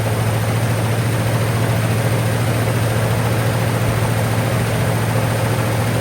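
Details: 1959 Cadillac V8, sat for years, first start with only fresh gas added: loud, raspy exhaust roar over a fast, steady cold idle; runs well and idles quite high, but the exhaust sounds terrible.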